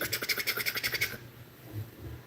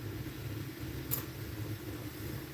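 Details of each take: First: Corsair AIO radiator fan on a PC, clicking and thunking: rapid rough ticking about eight knocks a second chopping through fan noise, like a helicopter, then cutting out; bad fan bearing, fan to be replaced. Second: Corsair AIO radiator fan (possibly H140) on a PC, previously sounding awful, now running: steady even low hum with no rattle, scrape or ticking; sounds just fine.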